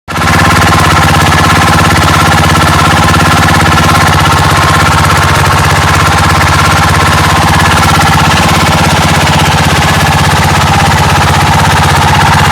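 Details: Yamaha Majesty SG03J scooter engine, noise appeared suddenly while riding; fast, steady clattering beat with a rough rubbing edge throughout, a scraping noise from the engine, cause not yet pinned down.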